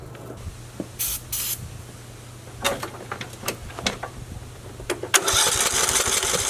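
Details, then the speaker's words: Briggs and Stratton 19 HP mower engine, old fuel, starting fluid sprayed in: steady low cranking for several seconds with no pops; compression seems decent, spark check showed weak spark, before camshaft replacement. "Might be a spark issue. Because you'd think with that starting fluid it would at least pop a little bit. Sounds like we're getting decent compression, to which we are."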